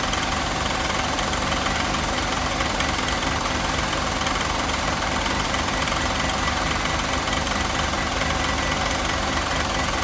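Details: 1988 Mercedes 560 SEC (W126) V8 idling with a steady, fairly even knock, about three to four raps a second, that grows louder until the engine is shut off; engine knocking at idle.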